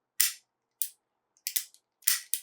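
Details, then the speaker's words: Beretta 92 with the Langdon Tactical trigger job in a bag and its lighter reduced-power hammer spring, dry-fired in single and double action: several sharp, thin, soft hammer snaps; light strikes on the firing pin, failing to fire rounds. "So it's hitting the firing pin, it's just not hitting it hard enough because of the hammer spring."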